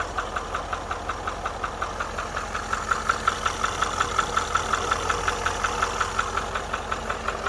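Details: 2013 Range Rover Vogue L405 at idle: quick, steady, evenly timed ticking knock over a smooth idle from the upper right side of the engine; cause not confirmed.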